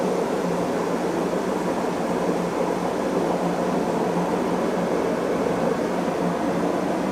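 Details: Beko D5 7101 washing machine with plastic tub, before drum bearing and seal replacement: steady loud roar with a low hum underneath and no rhythm through the spin, from a worn drum bearing.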